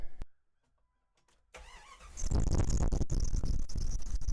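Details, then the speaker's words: Cheap Jeep on start-up: crank, the engine catches, then irregular slaps and clatter over the idle as the accessory belt jumps off the AC pulley; owner suspects a bent pulley or a weak, faulty tensioner. "all right I'm at a loss here as soon as I start it up the pulley jumps off the AC so the only thing I can think of is that pulley is bent but it's not wobbling"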